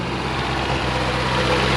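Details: Long-abandoned 1975 Chevy Vega Cosworth, first drive: steady, even, fast-sounding idle with a low drone likened to an RX-7 rotary, no hunting; the idle is high, temperature gauge stuck near 120.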